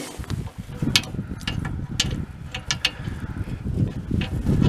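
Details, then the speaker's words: Late-1970s Chrysler Sno-Runner snowmobile, abandoned in a barn 45 years, being cranked during a spark check: repeated uneven ratcheting crank bursts, engine turns over but never fires; no spark, battery found flat. "try it again yeah no spark"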